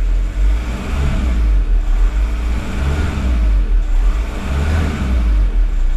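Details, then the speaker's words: VW T5/Touareg diesel right after fuel filter change (OEM 7H0 127 401), purging air drawn from the filter: deep, even rumble with gentle slow swell, no misses or knocks; now running nice and smooth. "it's trying to draw in the air from the fuel filter and it's going you know okay that's nice and smooth"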